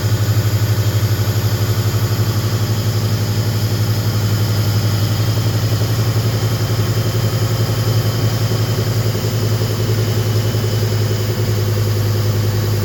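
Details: Lean-running car after installing the idle air control valve with a hand-cut gasket: deep loping idle with an uneven hunting beat around four pulses a second; rough idle.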